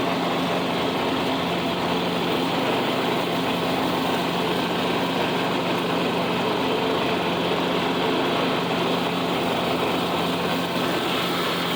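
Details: $25 Craftsman riding mower, refurbished with new belt and deck reinstalled: small single-cylinder engine holds steady, even speed under load with no knocks or surging; normal running, smooth.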